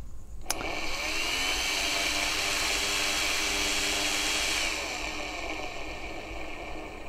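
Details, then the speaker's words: 84V Nikola Plus electric unicycle with new control board, silent motor: loud, rough fan whir with a raspy high edge and uneven pulsing instead of a smooth hum; noisy cooling fan. "that fan is is really loud it's and it's not a it's not a nice loud if you know what I mean"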